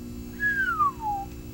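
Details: Sony PSone console making a single thin whistle that slides from high to mid pitch over about a second above a faint hum; abnormal whistling, cause unclear, unit to be opened.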